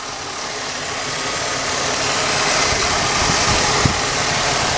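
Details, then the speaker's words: Cleaned-up car engine with 200,000-plus miles idling steadily with a smooth hum and no knocks or misses after a rear brake replacement; it sounds healthy. "For 200-some thousand miles on it, this thing runs damn good."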